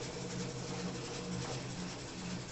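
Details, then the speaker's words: Consul CWC08 washing machine during spin cycle: loud, harsh rumbling grind, stopping and restarting, as if something broke inside; a part at the bottom of the tub slips out of place and causes the noise. "o barulho aqui é porque tem uma peça no fundo do tanque que ela tipo que sai do lugar e aí ela fica fazendo"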